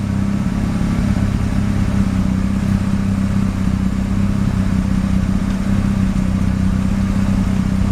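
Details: Mazda RX-7 rotary, extremely high CO (2.70), failed annual inspection: low lumpy drone with uneven stumbling beat, rough shaky idle, misfiring on slight throttle; no oil pressure, no leaks; cause unknown.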